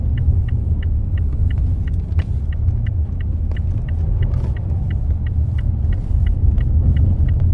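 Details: Mazda 6 driving over bumps: regular light ticks about three per second over heavy road rumble, a knocking and squeaking from the front strut top bearing; reported to dealer for warranty repair.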